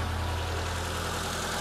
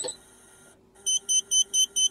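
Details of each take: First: Engine at operating temperature idling steadily but fast at 1300 rpm; the idle screw is set too high and is being turned clockwise to bring idle down to 800 rpm. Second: Mitsubishi Lancer engine started cold: six short beeps, then it catches and settles into a raised, slightly hunting warm-up idle. Normal cold fast idle, with rpm still changing until the engine reaches operating temperature.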